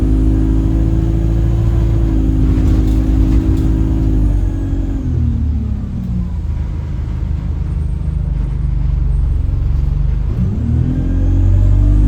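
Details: Chaserider 497 (YX67 UYA), Alexander Dennis Enviro 200 E20D diesel bus, felt sluggish: a thin whistle over the diesel drone drops as the bus slows and climbs as it pulls away. Owner suspects the gearbox, as it was much louder towards the front. Later turns horn-like.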